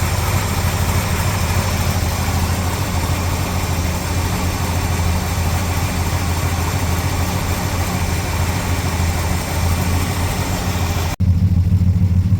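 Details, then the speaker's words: Ford Falcon XD 351 V8, carbureted: deep idle shaking and hunting, revs all over the place; rough unstable idle, owner suspects vacuum leak, revs change when braking. "Running super rough now. The rubs are all over the place."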